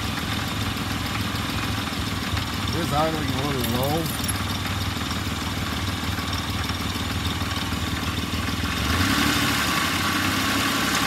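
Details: Warm engine, after a temporary alternator repair (deeply grooved, debris-packed slip ring cleaned, soldered and filed) and about 10 minutes of charging, catches and settles into a steady, even idle with no stumble or charging whine; sounds healthy.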